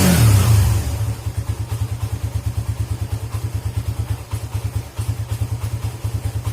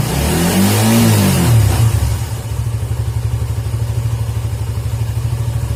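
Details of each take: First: Suzuki GSX motorcycle idling with a dirty idle speed control (ISC) valve, which stumbles or nearly stalls when the throttle is closed; cure is cleaning the ISC. Low, uneven thumping at about three beats a second that sags and stumbles as if about to stall. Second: Suzuki GSX motorcycle whose stumbling or near-stalling on closing the throttle was traced to a dirty idle speed control (ISC) valve, fixed by cleaning it. Revs up smoothly, then settles into a steady, even idle with no stumbling as the throttle closes. Normal idle and rev.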